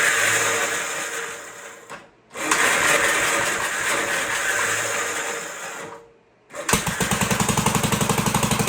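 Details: 1958 Gravely Model L single-cylinder engine, sat unused about a year, first start after fuel reached carburetor, needle valve opened, choked, throttle not hooked up: thumping surges and fades twice, then catches on an uneven beat; rough, untuned running.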